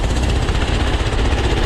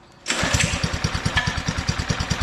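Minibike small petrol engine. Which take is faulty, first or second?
second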